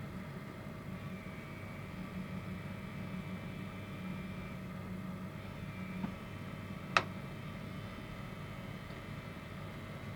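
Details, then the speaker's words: Dspiae hobby pen sander running, compared with a cruder generic cordless pen sander: faint, steady high hum staying even with no rattle or grinding; much quieter and smoother motor. "You can hear the difference in how quiet it is, right?"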